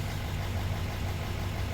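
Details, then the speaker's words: L5P Duramax diesel at idle with reduced engine power: deep rumble with uneven loping pulse from cylinder 6 misfire, codes P0306 and P0206; owner suspects the cylinder 6 plug. "the P0306 cylinder 6 misfire detected, P0206. So I'm willing to bet it's that plug."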